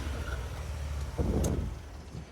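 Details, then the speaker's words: Mazda Bravo B2000 2000 model carburettor van converted to LPG, very high kilometres, at idle: low uneven lumpy stumbling beat; misfire from vacuum leak at the MCV carburettor dashpot diaphragm, some hissing heard. "now the car has a bit of a it does have a bit of a roughness or maybe there's an exhaust leak or something"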